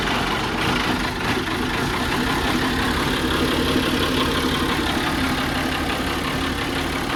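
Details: Allis Chalmers D17 Series 4 tractor at idle after torquing head bolts and adjusting valves, loose tappet adjuster locked with nut: steady low thrum, firing evenly without valve gear clatter or tapping; healthy running.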